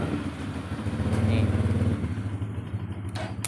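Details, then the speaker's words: Suzuki Shogun Kebo motorcycle, starter motor keeps spinning with the button not pressed and key off after the battery is connected; starter gets hot: steady low whir. "Meskipun saya tidak menekan tombol starter, mesinnya terus berbunyi seperti itu, teman-teman."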